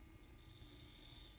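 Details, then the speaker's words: N scale Kato SD40-2 locomotive, sold as noisy, bench-tested after repair on a power pack at its lowest setting: a soft, even whir and smooth high hum with no catching or grinding. The motor and gears now run normally. "as you can see it sounds pretty good now but the real test is on the track"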